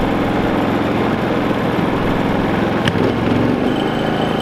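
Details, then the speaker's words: Predator 3500 inverter generator after its break-in oil change, powering an RV plus a space heater in an attempt to pull 5,000 watts: a steady, even drone holding one speed with no misses or surging. Normal running under load. "plug the RV back in and then I got that little space heater I'm gonna plug in I want to try and pull 5,000 watts out of this"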